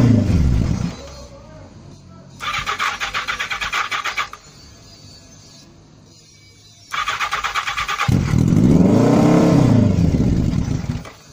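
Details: Motorcycle at start of 2018 season after battery reconnected: engine catches after brief crank, settles, then revs up and back down smoothly with no knocks or rattles; sounds healthy.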